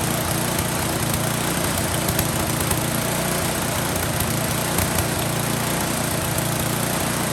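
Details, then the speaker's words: Husqvarna 10530 SBE snow thrower that sat about four years, first run on fresh fuel with no repairs: loud, fast small engine with slightly uneven beat under steady drone; slightly rough running, owner adding Seafoam to clean it up. "You know what? It sounds like it runs well enough for me. I'm gonna throw some seafoam in the tank, see if that cleans it up a little bit."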